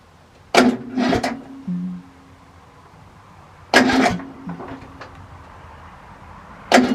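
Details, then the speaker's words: Riding mower with a fully charged battery: three short, heavy cranking bursts about three seconds apart, the starter dragging and stopping without the engine catching. Owner attributes the slow, labored cranking to valves out of adjustment. "just like there's not enough juice in the battery to turn over the engine so you charge up your uh battery and find out that the battery is not the problem"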